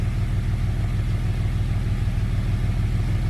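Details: Jeep idling smoothly after repair: cylinder 3 had zero compression because a bolt fell into the intake and held an intake valve open. The bolt was retrieved with a magnet. Startup is nicer than before. Even, steady rumble, healthy idle.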